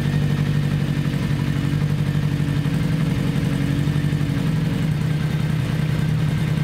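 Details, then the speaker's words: 1982 Kawasaki 750 LTD after replacing all four spark plugs: a faulty plug had left cylinder 1 cold and not firing. Now a smooth, even idle with all four cylinders firing and no misses. "well i exchanged the four spark plugs so let's start her up see how she idles and see if you can hear the sound better four cylinders working instead of three"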